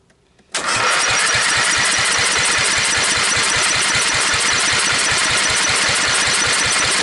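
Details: Briggs & Stratton 12.5 hp L-head engine, sat for years with mice-nest corrosion damage, on jump pack with choke on and idle setting, sprayed with starting fluid; catches into rough rapid popping, fires and kicks but won't keep running.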